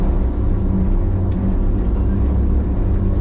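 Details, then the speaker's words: Loader running after a fire: deep, steady buzzing rumble, felt as much as heard, like a rough rotating bearing; hydraulic power and flows still normal; buzz cause unclear. "So that buzzing noise that you can hear, it feels as bad as it sounds."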